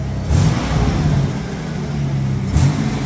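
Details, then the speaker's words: 1989 Mitsubishi Pajero V6 after cracked, warped exhaust manifold was replaced with Australian-made stainless steel extractors: two clean rev blips rising and falling smoothly over a deep, even exhaust note, no ticking or puffing; sealed, healthy, quieter. "way better it's quieter awesome job well done fantastic"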